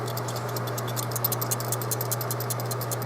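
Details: Haier 10.1 cu ft mini-fridge (HA10TG31SS) start relay, removed and shaken after fridge clicked every few minutes: loose fast ticking and rattling over a steady low hum; relay is bad.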